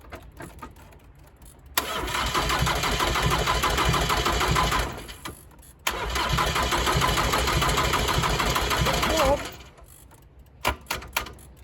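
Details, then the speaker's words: 1990s Ford Transit Mk5 2.5 DI turbo diesel, long sitting abandoned with no exhaust and no water: brief crank, then even clatter, stops and restarts just as readily; easy, normal diesel start. "oh it started a lot easier than a car"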